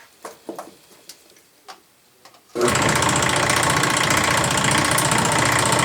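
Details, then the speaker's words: Restored Postel die filing machine, first test run after motor mounted and pulleys aligned with a straight edge; expected to be noisy. Handling knocks, then motor kicks in to loud steady rapid clatter about four strokes a second: normal die filer run. "The motor is mounted, it's ready to test run. I suspect it'll be kind of noisy."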